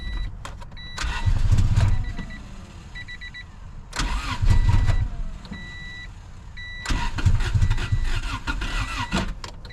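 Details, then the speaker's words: Honda Civic sat about 10 years, all fuel injectors split, no fuel pressure: three bursts of steady cranking, each briefly catching on leftover fuel then dying; won't run due to failed injectors. "see it wants to run because it had a little bit of fuel in there but it's just not going to do it"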